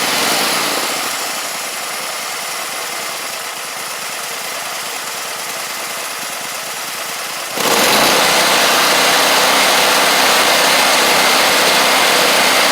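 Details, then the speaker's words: Gravely 260Z Kohler V-twin, well-used and slightly smoking, after DSAI module removal and ignition coil swap: even twin-cylinder idle, then a sharp step up to a smooth high-speed run with no misses or knocks; running and driving. "Well, it ain't perfect, but it's running, driving, and that's a good thing."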